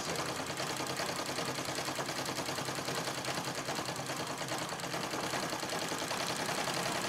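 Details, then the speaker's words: Singer 66 treadle sewing machine during free-motion quilting: fast mechanical chatter about 2.5 beats a second with a loose, rattly edge; owner plans to clean the feed dogs and bobbin area and oil it; cause not confirmed. "but I'm going to finish this first but I can hear the sort of rattling sound just about going to be"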